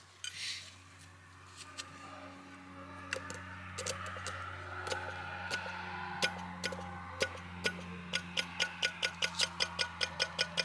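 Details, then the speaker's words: SU electric fuel pump replacing the original mechanical pump on a Weber-carbureted car, pump said to be too tight: crisp, even clicking settling into a quicker steady tick while priming; pump now sounds normal. "I'm very happy with that cuz it was a tick tick tick now it's like it ought to be"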